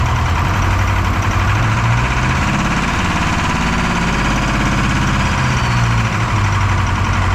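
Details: Detroit 4-53T turbo two-stroke diesel, 9G90 injectors, modulator off for full rack: heavy drone with lumpy uneven beat as one cylinder drops out; injector number two, coldest on IR gun, not firing on screwdriver isolation; fuel pressure suspected.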